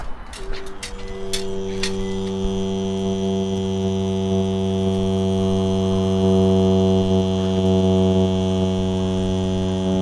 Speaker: It turns out that this N75 valve is quite common for making a mooing noise like a cow.